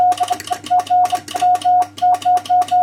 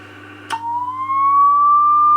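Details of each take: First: Two-tube RCA 813 MOPA transmitter keyed CW on 40 meters at about 24–25 W: steady mid-pitched tone in crisp dots and dashes with clean starts and stops, no chirp or clicks; keying is clean and acceptable. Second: You can see how the oscillator chirps. We're getting 120 watts there.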